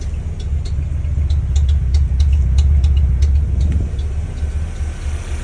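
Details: 1994 Mazda Miata stumbles and rumbles unevenly on throttle tip-in and misfires and backfires at idle; it idled fine with the MAF unplugged, and the fault was traced to a failed, clogged fuel injector.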